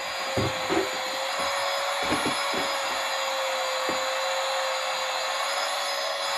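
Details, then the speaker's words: Mini electric air pump inflating a pack raft near full, about 11 minutes in: steady high motor whine and airflow hiss straining as pressure builds; pump labouring against back-pressure but raft pumped firmer. "so you can hear from starting to struggle but it has pumped it up much harder in fact"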